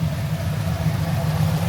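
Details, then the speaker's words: 1996 Impala SS with LS swap, newly tuned, high-flow cats and resonators: steady V8 idle held high, cam lope almost inaudible; owner suspects tune raised idle, more tuning planned, occasional stalling. "Can't even really hear the cam anymore because of the tune or whatever. It's a little bit, the RPMs a little, they're kind of up."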